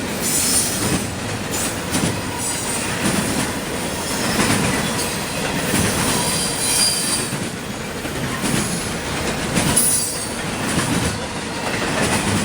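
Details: CSX intermodal freight train passing in Georgia: loud, piercing high squeal comes and goes over heavy rolling rumble and wheel clatter; wheels screeching on the rail.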